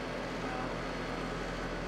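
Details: Trane HVAC outdoor unit running after a new defrost board was fitted: steady hum with fan rush, no knocks; head pressure about 200, suction about 55–60, outside temperature low 50s.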